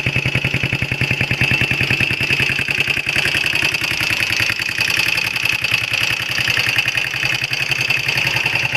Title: XL125R エンジン異音3